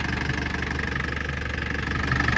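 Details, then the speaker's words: Nissan FD46 diesel after repair of knock caused by a dented low oil pan touching the crankshaft: smooth even idle, steady low throb, no knocking; normal idle. "теперь работает идеально уникальный рецепт"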